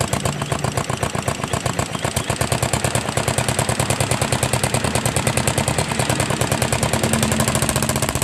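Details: Yamaha Jupiter MX motorcycle fitted with a loud racing exhaust: steady, quick exhaust pulses at idle with no top-end tapping; normal idle.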